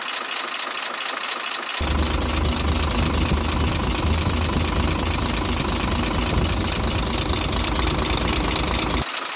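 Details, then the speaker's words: Truck six-cylinder diesel with two noises, heard with the air filter housing opened: a rapid tick near four per second over the idle clatter, plus a chuk-chuk sound; suspected causes are tappets or injectors, not confirmed. "यहां से आवाज वाजे चुक चुक की सुनाई दे रही है इस आवाज को चेक करने के लिए हमने यह पैप खोल रखा है"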